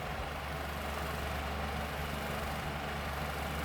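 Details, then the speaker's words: Lasko 16" wall fan model 3016 (2006-07): steady low hum with a heavy, uneven buzzing throb as the fan shakes the wall, caused by an out-of-balance blade, with the loose front grill rattling. "airf flow is very it's very good though but the balance is not what it should be it's very atrocious"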